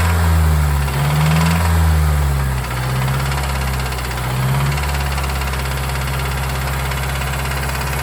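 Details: Mazdaspeed3 (MS3) at idle: steady idle with a regular deep knock, about three per second; rod knock suspected.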